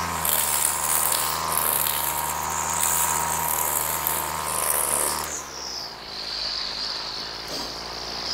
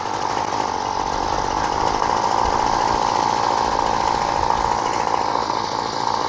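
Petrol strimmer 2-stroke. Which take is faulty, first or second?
second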